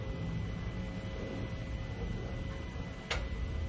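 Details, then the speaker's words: 2025 Jeep Wrangler Rubicon, rear axle locker disengaged via Kingbolen K8 Pro scan tool actuation test, camera held out the window: one sharp click over low steady hum; normal rear locker release. "I'm going to disengage."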